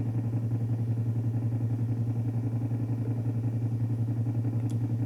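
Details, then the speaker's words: Hi-fi amplifier driven with a 0.5 Hz tone at about 200 W into an 8-ohm load, output reaching the supply voltage: a low steady buzz swells and fades as the output clips, and 120 Hz supply ripple leaks through to the speaker. "Ó, a o áudio já tá tocando na na na tensão da fonte. Veja, ó, nesse momento começa o ruído, ó."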